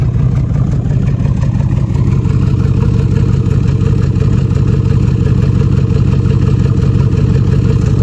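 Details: 2013 Jeep Grand Cherokee idling, heard through the exhaust with smoke: loud uneven chuff with light clatter; misfire on left bank cylinder 5 (P0305) from bad camshaft lobe and lifter, fuel not burning completely.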